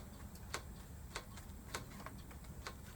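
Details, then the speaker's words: Lectric XP e-bike front wheel after tire change, spun before brake adjustment: light metallic tick about every 0.6 s, once per turn, as the disc rotor rubs slightly on one side pad; rotor rub needing caliper readjustment. "it's not really hitting it's just rubbing on one side a little bit"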